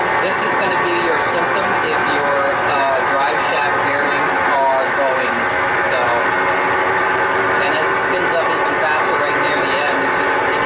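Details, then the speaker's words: Sears Kenmore Elite (Whirlpool Oasis) top-load washer: a steady, loud whirring roar like a jet engine, with agitator clatter on top, that keeps getting louder; worn drive bearings, to be fixed by replacing the drive shaft and bearings. "so it's getting louder and louder that it is sounds like a whirring of jet engine and also the agitator in"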